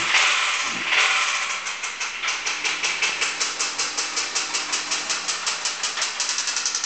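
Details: Honda D16Y8 petrol engine running with a steady, sharp metallic rod knock tapping several times a second; owner plans to swap in a K20A2.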